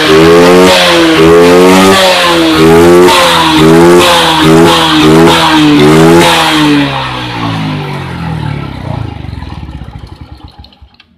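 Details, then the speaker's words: Suzuki Smash motorcycle, previously stumbling and dying on throttle from an ignition fault, after the fix with the spark plug cap fitted: idles well and blips up and down quickly and cleanly without cutting out. "Oke, teman-teman, langsamnya sudah bagus. Kita coba gas."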